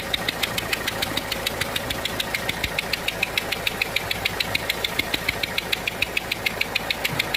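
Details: Renault 1.5 dCi diesel at idle: sharp, even ticking a little over twice a second from compression escaping past a failed seal on one injector; leaking injector seal.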